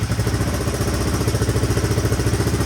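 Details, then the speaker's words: 1983 Honda XR200R, sitting for years, kick-started for first time, idling: steady, even single-cylinder thump, no cam chain rattle or valve ticking. Quiet, healthy engine; slight smoke likely burning off oil added through the plug hole. "That engine sounds pretty quiet too. Not hearing the cam chain flopping around or valve."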